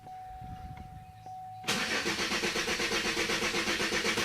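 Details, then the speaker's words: 2003 Chevrolet Malibu LS 3.1 V6 with a full tank, fuel pump heard priming, and security light on but not flashing: strong, even cranking that never fires; it does run on carburetor cleaner sprayed into the intake. "Nothing. That's all it does."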